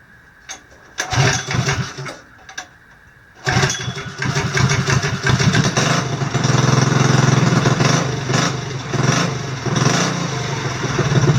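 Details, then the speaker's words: Vintage mower with NR Racing engine, coil air gap set to about 0.020 in and valve lash adjusted back to spec (0.003 exhaust, 0.002 intake); a couple of pulls, then a crisp, even, fast beat with no misses; runs very well. "I adjusted my valve lash which was way off so I brought the valve lash back within spec which was 3,000 on the exhaust 2,000 on the intake and fired it up and this thing runs ridiculously well"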